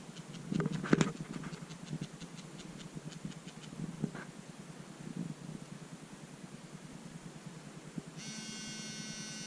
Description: Got my OP3T and it does this terrible buzzing noise while vibrating. Guess, that's not normal....